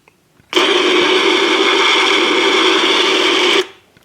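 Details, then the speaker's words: Bad transistor from the phono input of a Pioneer SX5570 receiver, bench-tested with applied voltage. A loud steady rushing hiss holds for about three seconds; the leaky transistor made records sound like a machine gun was going off. "It was basically making the record sound like there was a machine gun going off."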